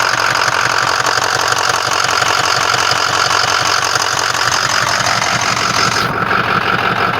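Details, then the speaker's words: 6.0 diesel truck that had been hard to start in cold mornings, cranking after its fuel injector control module (FICM) was replaced: rough, clattery idle with an uneven knock about twice a second. Bad injectors were found; the owner guesses they killed the FICM. "and i found out that i had um bad um fuel injectors too so i'm guessing the bad fuel injectors caused the uh fuel injector control module to go up"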